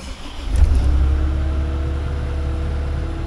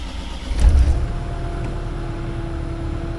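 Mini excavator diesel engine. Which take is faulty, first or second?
first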